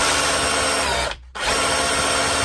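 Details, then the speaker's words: DeWalt DCH333 SDS hammer drill, repaired after internal damage from unsuitable batteries, tested after reassembly in hammer and then chisel mode. It gives a hard, dense hammering rattle that cuts out briefly and returns, striking firmly. It sounds healthy and is declared fixed. "that harder sound, and last but not least, chisel mode, hammering away. So I'm calling that fixed."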